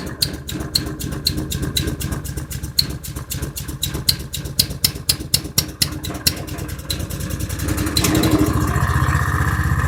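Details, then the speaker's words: Honda 310cc engine in a trail wagon utility buggy, running on choke (only runs on choke): struggling uneven idle with sharp regular ticks like valve tapping under the valve cover and occasional pops like an unseated valve; carburetor needs replacing, cause unconfirmed. "Yeah, she's struggling a little bit. I'm hearing a little bit of valve, sounds like valve tapping going on underneath the valve cover. I'm hearing a popping noise like a valve's not seated properly."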